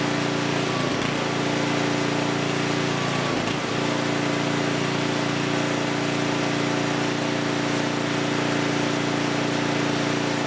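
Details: Huskee rear-tine rototiller abandoned by previous owner, after recoil repair, carb and fuel tank cleaning, running hot before oil change: small single-cylinder holds a steady, even note at fast idle, no knocks or misses; engine is good, normal running.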